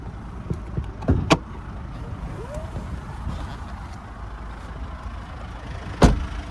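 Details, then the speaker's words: 2020 Kia Sorento GT-Line diesel idling, heard from under the engine, serviced at 16,000 km: steady low rumble with a couple of handling thumps, no knocks, rattles or squeals; healthy. "Beautiful, so we've got that diesel motor ticking over nicely. You listen to it run, no major knocks, rattles or squeals"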